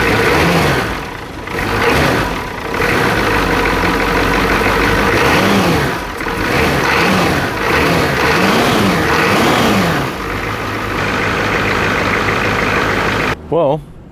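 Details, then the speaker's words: Turbo Ford 6.9 IDI diesel, seized about a week and a half earlier, freed and first started on starting fluid after tightened injectors. Even diesel clatter at idle and clean, smooth rev blips with no knocks or misses: a healthy engine. "well sounds pretty healthy especially for being stuck like a week and a half"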